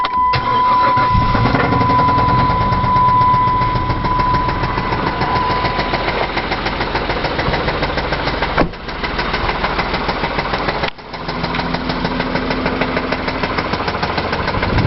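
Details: 2001 Chrysler Concorde, Mopar 2.7 V6 with 108,000 miles, idling with a steady, fast knocking under the engine note; suspected knock from oil sludge due to known design flaws, engine to be replaced with a 3.3.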